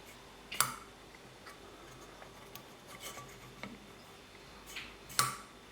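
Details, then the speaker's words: 1983 Kawasaki 750 LTD cylinder head, valve 1 after lapping with grinding compound and cleaning: a few isolated crisp, sharp taps with clean decay and no dull buzz, showing the valve now seats better than before. "It sounds a lot crisper, a lot cleaner. So the valve is absolutely seated better."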